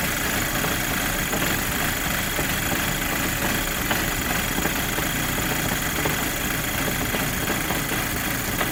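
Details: VW Golf GTI Mk5 idling cold: slightly uneven, shaky beat under a steady hiss; rough cold idle, cause not yet pinned down.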